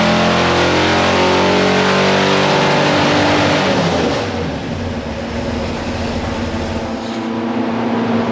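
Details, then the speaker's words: 489 cubic inch big block Chevy on a dyno, new plugs fitted: smooth pull then choppy stuttering at the top end; high-rpm breakup, rev limiter in the Pertronix ignition suspected. "Even with the new plugs, the engine still breaks up at the top end."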